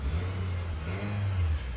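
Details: Nissan MV200 after repair of a crank-but-no-start fault (fuel issue, electrical cause): smooth, even low engine note with a gentle rise in revs, no knocks or misses; running cleanly.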